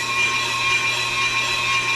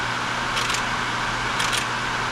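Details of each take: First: Brake rotor being machined on the car with a Pro Cut on-car lathe: a steady, piercing high ring over the cutting hiss is tool chatter against the rotor. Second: Pro-Cut on-the-car brake lathe mounted to a car's hub machining a brake rotor: steady low motor hum with a soft swish about once a second as the rotor turns while the lathe auto-compensates, running normally.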